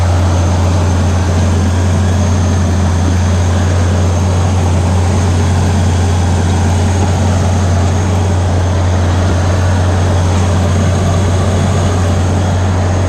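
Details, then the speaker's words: 1986 Ford Aerostar, 2.3 L four-cylinder, 5-speed manual, just started, owner believes low miles: deep steady burbling exhaust rumble at even idle, no knocks, ticks or misses; normal healthy idle. "So it's got a nice punchy, it's got like a nice sort of burbly, farty rumble."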